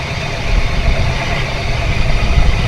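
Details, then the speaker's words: Chevrolet S10 Blazer Vortec V6, after replacing an ignition coil that had a current leak causing a rough, misfiring engine: deep, steady, even idle with no clicking or vibration, normal running. "não tô ouvindo não tá vibrando nem nada"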